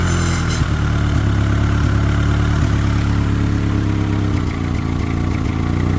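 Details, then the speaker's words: Honda EK D-series engine, fuel pressure only about 28–30 psi and unchanged with regulator disconnected, smelling bad: loud, uneven, lumpy idle with dips every second; rough running, misfire codes on all four cylinders. "So, I checked the codes. All I was really getting was multiple cylinder misfires and a misfire on each cylinder, you know, 1 2 3 4."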